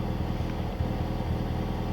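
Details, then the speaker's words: Mitsubishi Evo 6 with Kaaz clutch-pack LSDs front, mid and rear, after Amsoil LSD treatment and circles: steady low drivetrain drone while turning with no clicking; normal LSD operation. "okay guys it's not clicking anymore that I can really hear so I think I did good"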